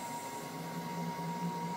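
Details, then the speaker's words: MDF CNC router axis traversing after stepper drive power was turned down from full: low, even hum with a soft steady tone, no rough buzzing or stutter; normal quiet stepper motion, noise came from too much power. "got nice and quiet and that's full power there you could hear that was quite noisy and it was full power"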